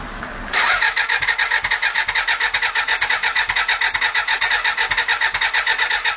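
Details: Suzuki Bandit 400 fitted with a new starter motor after the old one failed internally, with fuel topped up and the tap set to PRI. The starter churns at an even pace for several seconds but the engine never fires: cranks, won't start.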